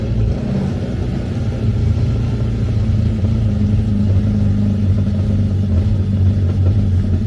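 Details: 2013 Yamaha WaveRunner VXR 1800HO, started on flush hose to winterize cooling system, water gurgling from discharge: low smooth rumble holding constant speed, no knocks or surging; normal clean idle.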